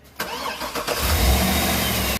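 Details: Engine with hard starting and low power blamed on low MAP sensor voltage from damaged wiring insulation, insulated to fix: brief crank, catches at once and settles to an even, steady idle with no stumbling; starts cleanly.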